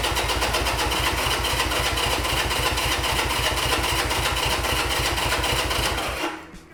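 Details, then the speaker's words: 1975 Honda CB200T, start attempt after reassembly and new fuel filters: steady fast cranking about four turns a second that never fires; float bowl opened afterwards is completely dry, so no fuel reaching the carbs. "And we are absolutely dry. Okay. So, there's no gas going there."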